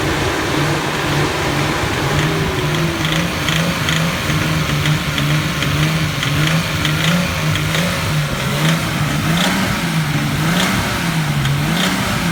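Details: Nissan RB20DET held near 2000 rpm, light regular ticking over a wavering engine note; knock present at 2000 rpm, gone by 2500, persists after swapping coils; owner unsure whether rod, spark or lifter knock.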